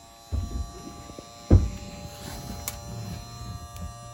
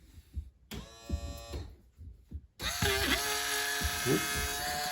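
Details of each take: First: 2010 Nitro Z8 bass boat's newly replaced live well pump running with a quiet, steady low hum and no rattle or surging; it sounds healthy. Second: Live well recirculation pump motor on a 2010 Nitro Z8 bass boat, run outside its housing. Loud, harsh, buzzy high whine; the motor is going out, and corrosion was found inside. Failing pump motor.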